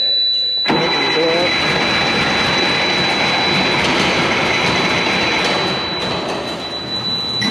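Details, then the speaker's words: Military Mercedes Unimog SEE tractor diesel with a Bosch inline injection pump, sat about 10 years, some air left in the fuel after bleeding: steady starter churning, about three beats a second, with no firing yet; slow to start. "It's been sitting for about 10 years, so it's going to take a minute."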